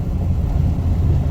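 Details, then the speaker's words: Chevy GMT400 one-ton dually, unloaded, after brake work, driving a rough road: even road rumble and tyre drone, earlier rattles gone; truck sounds tight. "I don't hear them, and this is a plenty rough road for an unloaded 1-ton dually."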